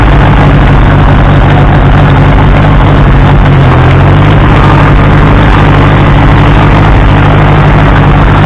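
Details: Case 300 tractor bought at salvage auction, unknown history: loud steady low chug at even idle, no knocking or misfire; running fine.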